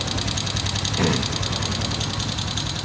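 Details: Honda Vario 125 LED scooter, engine oil slightly low but adequate: rough, rattly idle with a fast steady tick from the cylinder-head area, traced to a worn rocker arm and rocker shaft; rocker arm noise.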